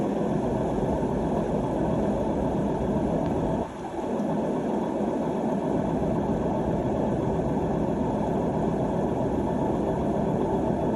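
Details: AEG washing machine with worn drum bearings: steady, coarse low rumble from the spinning drum.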